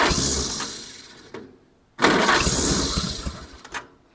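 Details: 1947 Farmall Cub tractor after switching to the old distributor cap: sputtering bursts as the engine catches and fires unevenly, fading between bursts rather than settling; running roughly but better, not yet warmed up.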